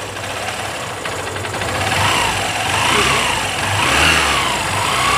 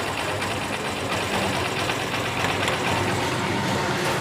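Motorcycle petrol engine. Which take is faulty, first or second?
second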